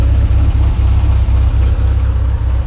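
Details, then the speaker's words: 1952 VW barn-door bus air-cooled engine after fitting a new carburetor: a low, steady idle with an even beat, settled at proper rpm with no hunting or missing. "have a listen as she's idling and she's idling down at a proper RPM woohoo"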